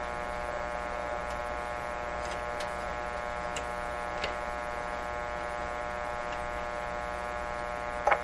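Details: 1925 Magnavox Type D TRF radio, all RF and AF stages, no IF, during repair: steady low buzzing mains hum with faint ticks and no program audio; set hums but passes no signal, something microphonic.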